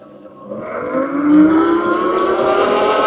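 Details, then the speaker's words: Heybike Villain electric pit bike, 4.1 kW chain-driven mid-drive motor peaking around 4.6 kW, off-road tyres: motor whine climbing in pitch with speed over rough tyre hum; normal, mostly tyre noise plus some motor noise. "Which that's a lot of the noise you're hearing on this is off-road tires, but definitely"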